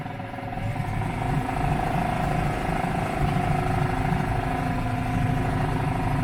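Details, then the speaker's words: Yamaha F4 4 hp four-stroke outboard after fixing hydrolock from long storage and refilling oil: putters at a fast, even beat, no misses or knocks; smoke from leftover cylinder oil, running and idling fine. "The uh prolific smoke is from the oil that's left in the cylinder. It'll burn off. I'd like to see a Ninja blender compete with that. Seems to be running great and idling fine."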